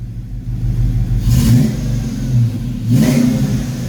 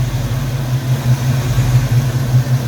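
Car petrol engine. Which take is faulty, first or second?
first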